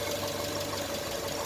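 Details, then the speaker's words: Naturally aspirated 2.2 EJ22 at 117K miles, cold idle on a very cold day: a light, fast ticking over the flat-four rumble, minor valvetrain tick. "It's got a little bit of valve tick, but motor won't be in here for too long."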